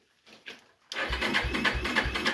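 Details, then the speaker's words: Old Yamaha Kodiak ATV: slow, laboured cranking at roughly three compression strokes a second that never catches; possibly not enough cranking amps, then jump-started. "just might not be enough crank amps on that. I don't know. I mean, it sounds like it's pulling it just as hard as you are."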